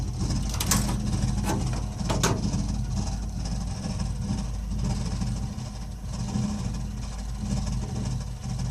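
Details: Burnham Alpine ALP150W gas-fired boiler, 3 years old, while running: a low, steady engine-like rumble that swells and fades every few seconds with faint clicks; it happens often, cause unknown.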